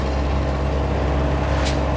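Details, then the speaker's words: Midea 7 kg top-load washer after main control board replaced with a Super General board, direct spin: steady low hum at constant pitch, no knocking or scraping; normal spin. "Now it will start spin cycle, because we know motor, inlet valve, pressure sensor, everything are perfect without any problem."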